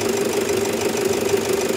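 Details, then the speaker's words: Toyota Fortuner after replacing a worn alternator pulley, which had caused no charging and a noisy, rough sound: steady, even idle with a mid-pitched hum and normal light clatter, no squeal or rattle. Alternator noise is gone. "Wala nang ingay sa alternator niya."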